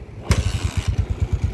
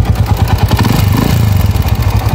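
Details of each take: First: Honda TMX155 single-cylinder motorcycle after replacing the head with worn valve guides and valves with a 155 cylinder head: sharp catch on starting, then a steady, even beat of about seven pulses a second with no ticking; normal start and idle. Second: Noisy Honda TMX155 single idling before overhaul: loud, fast clatter; worn valve guides, a mismatched head and a loose crank bearing are blamed, with timing gear, cam follower, pushrods and tappets also to be checked.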